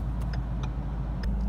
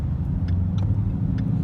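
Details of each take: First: Ford Mustang with a speed sensor check engine light and revs rising between upshifts, idling at a stop light on the way to the dealership; quiet steady idle without misses or knocks, faint background clicks; normal idle. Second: Manual Mustang with speed sensor check engine light; with clutch in and throttle released, revs climb on their own between shifts, a rising drone; owner suspects rodent-chewed wiring, not confirmed.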